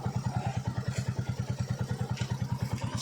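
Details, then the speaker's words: Royal Enfield Bullet 350 drive chain at idle: steady clattering rattle about three times a second over the single-cylinder idle, a dry, slack chain slapping the sprockets; fix is oiling and greasing the chain. "Raven के किसी भी bullet पे ये आवाज है चैन की होती है"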